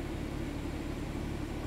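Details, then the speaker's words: 2013 BMW 3 Series F30 with N55 engine, after an unmetered-air leak found by smoke test was fixed; no fault codes and check engine light off. Steady, even low rumble with no misses or surges: a smooth, normal idle. "nuestro DME y nuestra luz de verificación del motor está apagada ralentí bien no hice nada excepto para leer los códigos"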